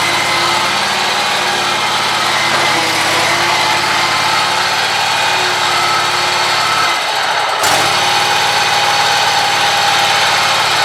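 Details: Scag mower: high, rough racket with a thin tone over the small engine's steady run, louder when pressure is put on the idler pulley; owner suspects a failing idler pulley bearing, possibly the belt.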